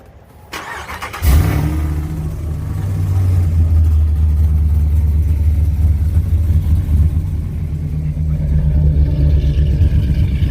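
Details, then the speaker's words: Whipple-supercharged cammed Ram 1500 Hemi, not fully cold start: loud lumpy idle with bad rattling from the blown-out muffler, before new MBRP stainless catback. "i'm gonna show you guys what it sounds like with the muffler blown out it has like a really bad rattling to it still pretty loud but"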